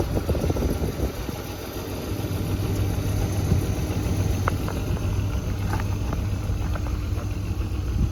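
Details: BMW E34 520i Touring at cold start: rough uneven clatter over a steady low drone at idle, then white smoke from the exhaust; cause unclear.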